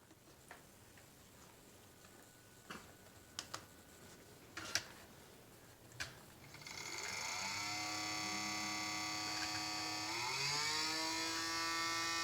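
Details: Nintendo Wii: scattered sharp clicks, then a whirring whine rising in pitch from the disc drive; cause not confirmed.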